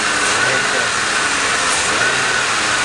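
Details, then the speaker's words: 2001 Mercury Grand Marquis 4.6L V8 just after a throttle body spacer install, revving: a steady airy whoosh like rushing intake air, never there before; source not pinned down. "that sound was never there before so that might be an alternating sound"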